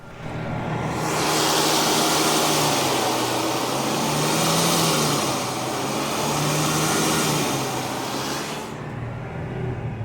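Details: 1979 Ford F150 on its first start after restoration, carburetor primed and timing set, at fast idle: steady, even roar with a smooth low drone and no knocks or misses.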